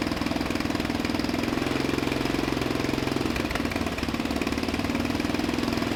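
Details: Murray LT1000 wide-body riding mower (2000), deck removed and custom-lowered, first jump-started run on starting fluid with the new exhaust: quick, even firing pulses hanging at high revs, never settling.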